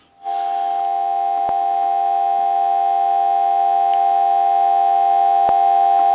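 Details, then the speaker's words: AE Space Maker 183 telephone after cleaning and rotary adjustment, line plugged into an analyzer with receiver audio amplified: clean, steady, strong dial tone without fading or crackle; receiver working properly. "i'm going to go ahead and plug the line in and i want to give you some dial tone"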